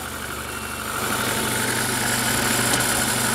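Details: Old car in frost just jump-started with a booster after a dead battery: engine settles into a steady, even idle with a slight rise in level, no knocks or misses; running normally.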